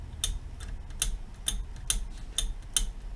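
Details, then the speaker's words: Visonik V2608 1400 W class AB car amplifier with an output short: sharp, dry, unevenly spaced clicks about twice a second on a quiet bench, from a resistor that is unsoldered from its trace and shifts. "That is a resistor that is not soldered to the trace."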